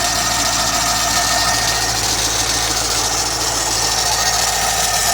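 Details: C5 Corvette LS1 V8 at idle, heard under the hood: steady high-pitched squeal holding an even pitch; constant squeal at idle, source not yet found.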